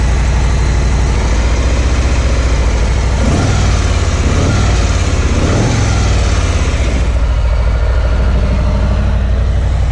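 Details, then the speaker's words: 2018 Harley-Davidson FXLR Low Rider V-twin idling on factory mufflers: deep, muffled, even lope with a couple of light blips; very subdued, doesn't sound like a true Harley to the owner; healthy idle. "So as you see, that's the factory mufflers on it. Very subdued in the sound. It's the only real letdown, really. It doesn't sound like a true Harley, in my opinion."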